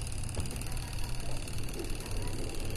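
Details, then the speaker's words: LG WP-700N washing machine whose spin dryer drum would not turn, retested via the timer: steady low motor hum, even with no grinding or knocking; spin motor running normally, and it stops automatically when the lid is opened. "kedengeran menyala ya simoro pengeringnya ini"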